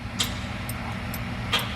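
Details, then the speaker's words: E4OD/4R100 transmission with new trans brake valve body, key-on first test: sharp single solenoid ticks about every half second over a low hum; solenoid getting 12 volts, working. "Oh my goodness. Click it. All right, well that's one. That's one thing that's working. We got electricity down to the solenoid. It sure is quiet."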